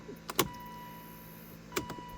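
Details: 2011 Volvo C70 with about 70k miles, in limp mode, key on and engine not running, after the battery (12.7 V) was disconnected for 30 minutes. Two short whirring clicks over a faint hum are the throttle body's normal self-test relearn.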